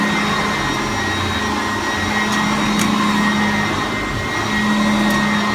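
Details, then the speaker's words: Upright vacuum with brush height set too low on carpet: steady motor drone with a thin, wavering whine as the brush drags and struggles; brush roll whine under load. "Yeah, you can hear. You can hear it whining. I think it's struggling a little bit. It's not beating the carpet or working the carpet."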